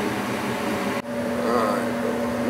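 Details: Old Goodman gas furnace on a no-heat call; its squirrel-cage fan motor had bound up before, and a replacement fan motor assembly was obtained: a steady, even whirring fan note with no rattle or bearing noise. Inducer motor running normally.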